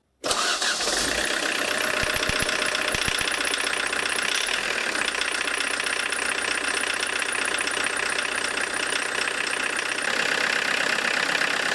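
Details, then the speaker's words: Diesel with Lucas DPC pump, injection timing advanced about 1.5 mm or more from TDC: very harsh, rattly rough idle, engine shakes badly and won't respond to throttle; over-advanced injection timing. "Все, жестко работает, на газ не откликается, смотрите. Ну, плохо, тупой стал."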